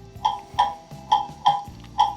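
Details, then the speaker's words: Pendulum clock movement on test stand during beat setting: tick and tock unevenly spaced, one gap clearly longer; still out of beat. "that's obviously still out of beat"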